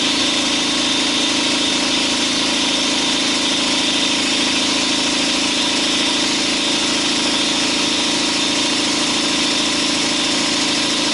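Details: 2012 Chevy Silverado, 5.3 L active fuel management engine, at steady idle: a dull, uneven tapping over the engine noise. The cylinder 4 intake valve lifter has collapsed and is not pushing its rocker arm.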